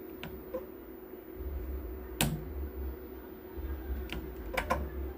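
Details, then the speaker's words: 10 kVA voltage stabilizer at switch-on: steady mains hum with a few sharp irregular relay clacks, then it cuts off before turning on; voltmeters also faulty; relay chatter, cause not yet found. "अब देखिए जैसे मैं on करता हूं इसमें से कुछ खटखट का आवाज आएगा।"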